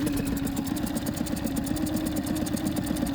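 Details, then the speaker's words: Engine, after injector cleaning and replacement, automatic choke just switched off, now at operating temperature: steady even putter at idle with no misses, knocks or rattles; normal idle. "Yeah, it's responding a little better. It seems to be now that it's up to um up to operating temperature."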